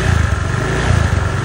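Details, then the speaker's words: Honda Vario 125 FI scooter that ran without an oil change, stalled suddenly and would not start; restarted, it runs loud, lumpy and harsh with heavy white exhaust smoke, engine oil burning past a scored piston. "Tapi mesinnya kasar banget seperti ini. Tuh knalpotnya langsung ngebul putih ya. Tuh parah banget ngebulnya. Ini bisa dipastikan ya pistonnya baret ini sehingga oli mesin langsung ikut kebakar ya."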